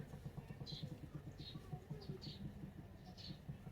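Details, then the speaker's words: Proton Saga Iswara LMSS driving: faint light clicking about seven or eight times a second under road noise from the rear driver side; spring and spring perch replaced without fixing it, owner blames a stubborn rear wheel bearing. "it's so weird cuz it's always coming from the driver's side rear driver side which is just driving me nuts I thought it was the thing I mean I did replace the spring the spring perch I thought it was the rear suspension system turns out it wasn't it's just a stubborn wheel bearing"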